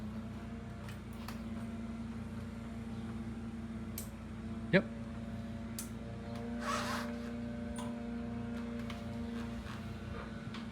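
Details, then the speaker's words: 1967 Triumph twin after cleaning the clogged pilot jet: even, steady idle holding a constant note with a few sharp clicks over it; normal, healthy idle. "What a difference a clean pilot jet makes. Listen to that thing. Isn't that gorgeous?"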